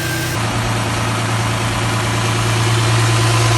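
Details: 2008 Dodge Charger 3.5L, just after valve cover gasket replacement, checked for oil leaks and vacuum leaks at the intake: steady, even idle with a smooth low hum, no ticking, hissing or stumble; engine sounds healthy.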